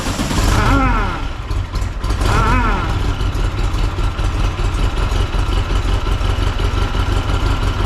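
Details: 1961 VW Beetle with AMR500 supercharger newly driven by 4-rib serpentine belt (47.7 in) and tensioner: two quick revs then settled idle with steady blower whir, no slap or squeal; normal operation.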